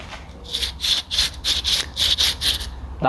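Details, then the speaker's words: Ford Mondeo ST200 wheel bearing removed from the car and spun by hand gives a gritty rasping grind about three times a second; grit and grime inside have made it rough, so a new bearing is to be pressed in. "is not what you want to hear that is grit and grime that's got into the bearing and it's just making that horrible sound"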